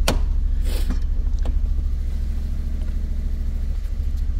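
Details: 2002 Fiat Punto 1.2 petrol that judders with the check-engine light flashing: a lumpy, uneven idle of about three pulses a second, a misfire with the code showing coil 2 shorted to ground or open circuit, and a damaged coil connector plug.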